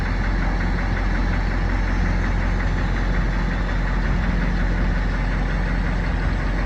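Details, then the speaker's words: Fire truck Caterpillar 3208 turbo diesel, just started on new parallel batteries with alternator disconnected, running off battery only; steady even diesel clatter and deep rumble at idle, no misses; normal healthy idle. "See, right now it's running off just the battery, so it'll run those batteries dead pretty quick."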